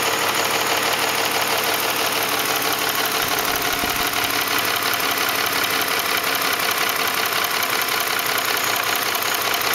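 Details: 2004 Ford F150 5.4L 3V V8 at idle: fast, even tapping slap over the hum, timing chains slapping the engine block because the chain tensioners failed; fix was replacing cam phasers, timing chains and tensioners.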